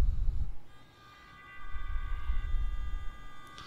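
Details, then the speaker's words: Axial SCX24-based Atlas 6x6 RC crawler on stock ESC before Furitek ESC swap: uneven low rumbling bursts and a thin motor whine coming in jerkily as it struggles to take off; ESC stutter at low throttle. "and you can hear it struggling trying to take off so i'm pretty sure you can tell the difference there"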